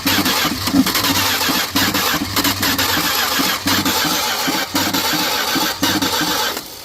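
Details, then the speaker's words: 1979 Dodge truck sitting over 10 years with an engine problem, first start fed gasoline by hand into carb: rough, uneven running with loose clicky clacking about once a second stumbling with engine; internal noise, cause unknown, maybe not picking up fuel. "You can kind of hear that clicky clack clack click. A little more fuel."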